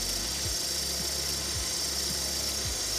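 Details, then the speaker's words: Professional intake cleaning with a Bardahl 360 machine on a running engine, venturi set and air flow adjusted, at 50 injections per minute. A steady hiss over a low engine drone with a soft pulse as the cleaner is drawn in normally. "Je lance l'opération. Notre produit circule et là on l'entend, il est aspiré par le moteur."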